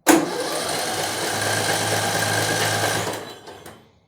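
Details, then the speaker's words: Bolens M762F lawn tractor engine, spark present, Champion RC12YC plug: fast, even cranking with no compression strokes; gauge reads zero compression. Stuck or dropped valve suspected. "We're showing absolutely nothing as far as compression goes. Probably have a look inside the valves, see if the one of the valves is stuck or dropped."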